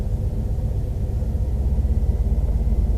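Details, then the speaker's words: Truck idle after revving: on letting off the throttle rpm drops to about 500 and bounces back instead of falling smoothly; deep, slow, lumpy, rocky idle sagging too low, cause unknown to owner. "it dropped like way down to like 500 so i'm not sure what that was all about seems pretty rocky through there too though"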